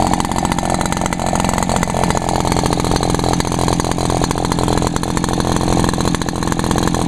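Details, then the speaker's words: Echo backpack leaf blower, two-stroke, after topping up fuel that had run low and caused hard starting: a steady, high-revving drone holds even with no stumbling or surging; it runs normally. "yeah just runs Perfect"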